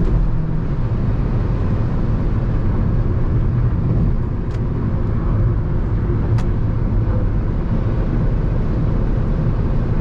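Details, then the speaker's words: Jeep Renegade T270 at 120 km/h, heard from inside the cabin: a steady, deep rushing roar of wind and road noise with no rhythm or tone; the wind noise is very loud and its cause is unknown. "120. Ó o barulho já do vento. Realmente o barulho é muito forte. Eu não sei o porqu d esse barulho."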